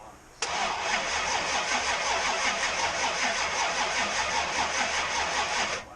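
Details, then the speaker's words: Supercharged small-block Chevy first start after two months off the ground: starter turns the engine over steadily about five seconds, fuel pump off, never fires; cranks with no spark, battery also found dead. "Oh, bring the thunder. Sounds like we got no sparks."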